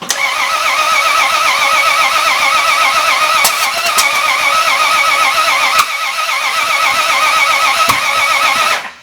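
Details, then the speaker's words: Road-trip car engine cranking: fast steady cranking with sharp pops every few seconds, never starting; sparks backfiring out the intake, valves checked and found working. "We got sparks coming out the intake. Turn it over, let me check all these valves."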